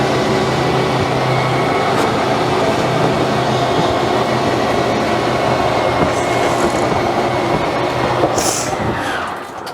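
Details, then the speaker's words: RV Schwintech slide-out system, with a motor at each of two corners, moving the room: continuous droning motor noise with a gritty rumble as the room travels, fading at the end; judged normal slide-out motor sound. "Everything sounded normal to me."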